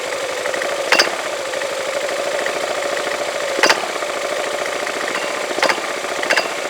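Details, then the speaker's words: Yamaha Majesty scooter idling at about 1,100–1,200 rpm with the CVT cover off: steady idle hum broken by sharp metallic clanks every one to three seconds, the clutch shoes slapping against the bell; owner unsure whether this is normal. "it's the shoes moving around in the or slapping against the Bell"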